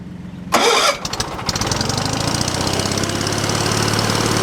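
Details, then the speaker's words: Wood splitter's small single-cylinder engine with a long-troublesome switch, started on choke with the fuel pump audible and the muffler refitted: a short churn of cranking, then it catches and settles into a steady, even putter; normal start. "I can hear the fuel pump, my light's on, choke's pulled. This thing likes to be choked and immediately shut off."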